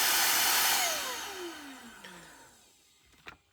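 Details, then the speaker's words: Shark cordless vacuum after the motor was cleaned with isopropyl alcohol and contact cleaner to cure grinding, screeching noise: smooth, high airy whoosh winding down with a falling tone, no grinding or rattle; normal motor run after repair. "And that's a lot quieter. You can actually hear yourself think."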